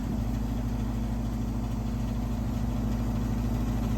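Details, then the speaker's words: Garage gas unit heater, five-burner, firing: constant low droning hum with buzzy vibration on top; technician guesses a louver, primary air adjustment seemed to change the noise; cause unconfirmed. "now I'm going to look into a noise that this unit over here is making which makes kind of a vibrating noise"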